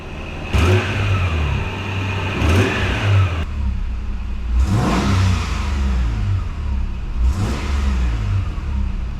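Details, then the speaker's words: 1995 Nissan Pathfinder XE six-cylinder after replacing the timing belt, water pump, thermostat, belts, plugs, coolant and oil: the engine revs up and drops back cleanly to an even idle with no knocks; the earlier squealing is gone and it runs much smoother. "oh yeah it sounds it's sounding really nice it sounds so much smoother than before it was making all kinds of squealing noises before yeah everything seems to be going fine"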